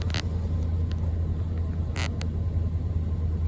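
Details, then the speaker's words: 2005 Nissan Armada SE 5.6 V8 4WD cold start at 26°F, after passenger-side exhaust manifold and catalytic converter replacement and a welded driver-side manifold: deep, even V8 rumble, no exhaust ticking or blowing, healthy. "Let's do a little cold start. It was 26 degrees this morning. Let's see what she sounds like."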